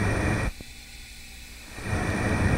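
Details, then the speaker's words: Yamaha YZ250F engine leak-down test after adjusting the five valves, hose held to the microphone: a steady airy hiss drops away briefly, then returns. Left and right valves seem fine; a small leak past the middle intake valve. "la soupape de gauche la soupape de droite y a pas forcément de fuite est la soupape du milieu sur laquelle uniquement ce moment on a vraiment une petite fille"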